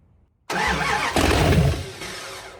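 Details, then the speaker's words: First start of a freshly built 408 stroker engine in a project shop truck: fires straight away, revs briefly and runs evenly for a couple of seconds, no grinding or knocking; healthy first start. "Oh my God. It'll run. It'll run."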